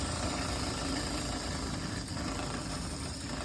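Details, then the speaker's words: EccoTemp tankless propane water heater with 12V pump on Eco-Worthy solar, fed from a 20 lb tank, for a Macgregor 26X: burner lit, constant roar over steady pump drone, no sputtering or surging; normal burner and pump operation. "And then when you flip the power switch on and turn on the water pressure, you can hear the flame come on the front panel."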